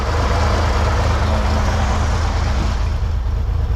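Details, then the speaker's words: 1963 Corvair after a fuel pump and return line update: low, uneven engine beat at idle with fuel audibly draining back through the return line. Fuel pressure is low; crimping the rubber return line restored pressure. "Something's not right. No good. Shake. So, I can hear it draining into the tank from the return line."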